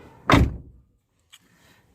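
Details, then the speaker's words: 2012 car, door closed properly: one solid thunk, then silence with no buzz or rattle; the rattle is gone. "देखो कोई आवाज नहीं है"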